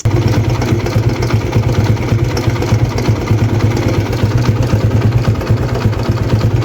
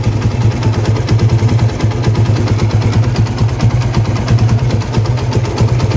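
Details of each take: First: TVS Apache RTR 160 before tensioner replacement: fast, uneven metallic chatter over the single-cylinder idle thump, timing chain slapping from worn tensioner assembly. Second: TVS Apache RTR 160 single after replacing the timing chain tensioner assembly to cure engine noise: steady, even low idle thump, about ninety a minute, with no ticking or rattle; healthy.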